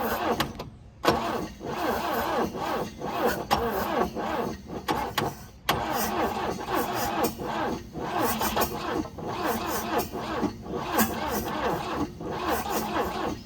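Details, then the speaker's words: 1966 Volvo Amazon 122 estate, abandoned, carbs fueled (one leaking) with some choke: slow labouring crank about two turns a second, uneven pulses, no catch after 30 minutes cranking; slow cranking, suspected tired starter lacking power to push through compression. "That is a tired starter. That's what that sounds like to me. Starter doesn't seem like it's got enough juice to push itself through a combustion cycle, and it's just combusting and then Bob's your uncle."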